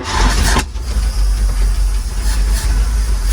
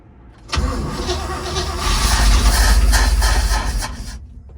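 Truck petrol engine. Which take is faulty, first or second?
second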